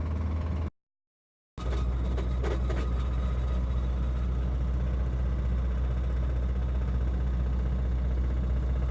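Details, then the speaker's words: Honda EJ6 with D16Y7 engine driving home on a long commute after spinning a rod bearing: hollow, regular knocking about four beats a second over a low drone. Rod bearing failed, a common D16Y7 issue blamed on low oil flow. "that bearing's bye-bye now. It's just rock."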